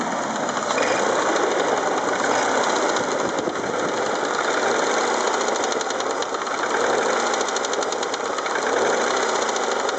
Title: What is the engine knock? (BMW E36 318i 1997)